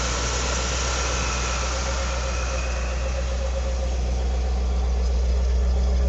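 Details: 1978 Ford P6 LTD (Ford Australia) barn find from a shed in regional Victoria: deep, even burble climbing smoothly when revved, no ticks, knocks or stumbles; runs well, gearbox shifts nicely, no diff noises.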